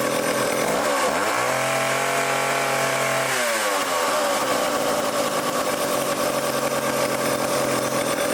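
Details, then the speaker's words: Old vintage foreign two-stroke chainsaw, low-speed needle leaned out slightly and high speed opened: revs dip, pick back up cleanly, then hold a steady crisp high-speed buzz; normal running. "all right that sounds good as we die of carbon monoxide poisoning so I leaned out the low speed a little bit"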